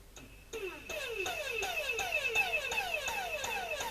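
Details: Dyson cordless vacuum with a suspected BMS fault, though the 18650 battery cells appear good: the motor surges in quick falling chirps about 2.5 per second and never holds a steady whine; owner suspects a faulty vacuum unit; motor pulsing and running weakly.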